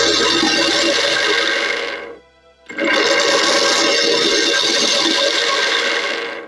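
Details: Blender after replacing the worn blade assembly that caused leaking and loud noise: two steady, even bursts of high whirring roar with a brief stop between, no rattle or grinding; running normally after repair.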